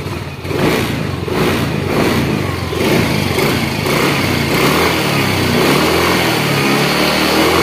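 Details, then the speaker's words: Yamaha X-Ride fuel-injected Blue Core scooter after throttle body cleaning and scanner reset: clean blip, revs drop straight back to a steady, even idle with no hanging revs; normal idle and throttle response. "ya stasioner sip untuk stasionernya jangan terlalu tinggi jangan juga terlalu rendah Ya intinya pokok enggak matian dan pada waktu digas enggak pandang Los gasnya ya"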